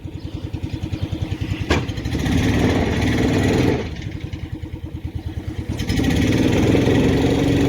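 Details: Carbureted 400 big-block in long-bed truck, newly finished, accelerator pump not working: even loping idle with clean throttle blips, no knocks or ticks; runs healthy.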